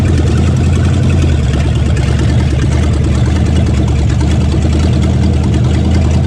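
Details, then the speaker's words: 1969 Plymouth Fury 400 big-block V8 cranked and started in park after oil pan replacement, battery recharged: deep even rumble holding steady idle with no knocks or misses; normal idle. "Okay, cranking. Okay. He's alive. Had to charge up the battery."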